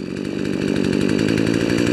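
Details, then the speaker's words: Poulan chainsaw after Actual Zama OEM carb kit install, on the ground; rapid buzzing idle climbs steadily in pitch and loudness as the low-speed mixture jet is turned in, taking a few seconds to recover when turned back out. "hear that increase and we'll turn it back out and it takes a few seconds to recover"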